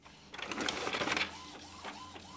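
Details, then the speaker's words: Epson L395 inkjet printer that has had its carriage slipping and making noise. The carriage sweeps with a clean, even whir and regular strokes, no scraping or jamming: normal printing. "Aparentemente tá 100% aqui, ó. Tá? Agora, sem barulho, sem travamentos."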